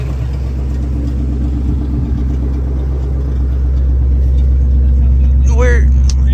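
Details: Lincoln Aviator swapped with a supercharged Terminator Cobra V8, idling after a noise began on a driveway: steady, firm knock about three or four times a second; the stock gauge shows no oil pressure, so bearing damage is feared, unless the sensor failed.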